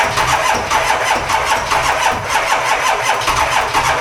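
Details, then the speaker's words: Diesel dually truck cold start at 18°F: slow, laboured cranking of about four even beats a second that never speeds up; starter on its way out, flat batteries, only about three glow plugs working. "Starter is on its way out. About three of the glow plugs work. And her batteries are shut."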